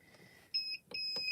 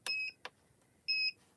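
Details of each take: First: Gemini Foilpress heating platform set to medium after switching from high: clear high-pitched beeps, a couple of short chirps then a longer tone; platform signalling normally (beeping with "cool" means plate too hot). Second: Gemini Foilpress hot foil machine switched from high heat down to a lower setting: two clear high beeps with a click between them and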